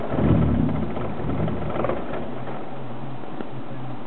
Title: E30 Rough Idle